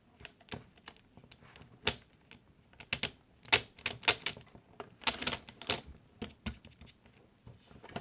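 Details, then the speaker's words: Axial SMT10 monster truck after about a year on 3S LiPo, upside down: sharp, irregular cracks and clicks as the drivetrain spins; stock centre gears stripped. "as you can hear if we turn the truck upside down something in there is definitely not right and is cracking around"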